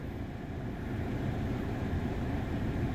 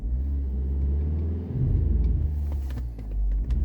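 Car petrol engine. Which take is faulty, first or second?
second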